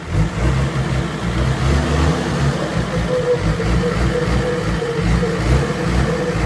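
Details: Diesel engine after fuel system cleaned of dirt and lines bled to fix weak power; deep even idle rumble, picks up cleanly on light revs without stumbling; engine sounds healthy.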